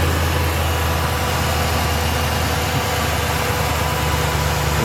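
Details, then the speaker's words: Rebuilt salvage 2014 Ram 2500, 5.7 Hemi V8 with new alternator, power steering pump, AC compressor, idler and belt, no warning lights: deep even idle rumble, steady beat, no ticks or knocks; healthy. "fires right up sounds good has the nice hemi rumble [Music] [Music]"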